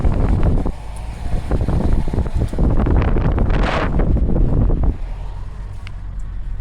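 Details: 2007 Saturn Ion driving after new tires, following the fix for a strange noise that appeared after tire installation: steady low road rumble and wind buffeting, no hum, whir or rhythmic thump from the tires; normal road noise.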